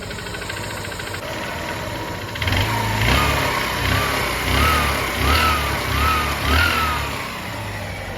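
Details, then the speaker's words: Single-cylinder 125 bike with 11,000 km, previously loud piston noise, after engine work (piston and rings checked, new parts fitted); steady even idle without piston tapping, noise gone; normal idle. "तो really में gas आपको बता दें की पहले जैसा स्वर्ण था जितना ज्यादा साउंड कर रहा था वह अब बिल्कुल भी नहीं रहा"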